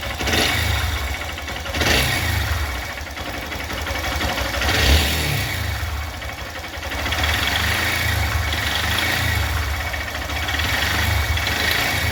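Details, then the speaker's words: Honda Bros 160 single-cylinder motorcycle engine running with an uneven heavy knock, roughly three a second, over the exhaust note; mechanic suspects the connecting rod bearing before removing the engine from the frame; suspected con-rod bearing knock. "Bom, é esse o barulho que tá na nessa 16 aqui, uma bro 160, galera."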